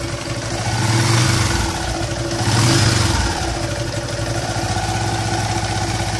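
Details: Yamaha LC135 single-cylinder motorcycle, engine warm, after repair of droning/whistling noise traced to crankshaft: blipped twice from idle, revving cleanly with no drone or whistle.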